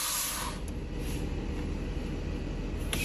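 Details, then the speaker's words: Steady hiss of air venting over a low diesel rumble from a 2014 Thor Palazzo XCS, Freightliner chassis, Cummins diesel; normal air suspension airbag dump once the parking brake is set, as the system won't dump with it released. "if you're your parking Brake's not set your air system will not dump so that's that's a good thing"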